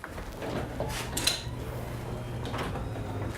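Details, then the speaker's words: Garage door after new springs, cables, drums, bearings and nylon rollers: belt-drive opener gives only a soft even low hum with light clicks as the door travels; smooth, quiet operation. "as you can hear with that belt drive opener it's very quiet especially with those nylon roller"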